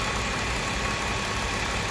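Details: 2001 BMW 325i 2.5L after repairing a torn throttle body hose vacuum leak that had caused cold-start misfires on all cylinders: it now idles smoothly and evenly with no shaking. Only a purge valve code P0444 remains.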